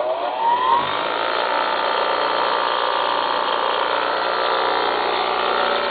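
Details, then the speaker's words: Apparently brand-new Baldor 8107WD bench grinder, 3/4 hp, 3600 RPM, single phase, wired for 115 V, switched on: quick rising whine spinning up, then a steady even hum with no rubbing or knocking. Healthy run. "We currently have it powered up so you can hear it and watch it run. We'll flip the switch, and there she goes."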